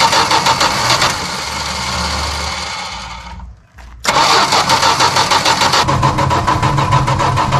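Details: Barn-find 1973 Dodge Dart Swinger, 225 slant six, first start in 29 years after freeing the seized engine, new battery, cleaned plugs, gas down the intake: fires, briefly dies, then catches and settles into a fairly even, healthy idle.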